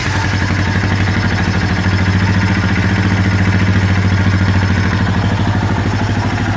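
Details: Honda Foreman 450 first startup after top-end and head rebuild (cap nuts torqued to 29 ft-lb), fed by syringe to carburetor, airbox off, on jumper cables: steady low single-cylinder thump at fast even idle, no knocks; normal.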